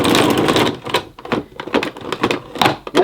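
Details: 1988 Hoover Compact Electronic S3462 cylinder vacuum: a quick rattling whir as the cord reels in, then scattered clicks and knocks. Cord rewind works normally.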